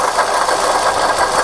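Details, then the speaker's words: Suzuki Ertiga idling: gritty rough grinding pulsing with rotation, "grug grug" sound; worn water pump with wobbling pulley, sounds like a crushed bearing, to be replaced. "So ayan guys, kung naririnig nyo yung tunog na yan, yung parang grug grug grug grug grug grug grug. So yan yung isang issue na papalitan natin. So yan ay yung water pump ng ating Suzuki Ertiga."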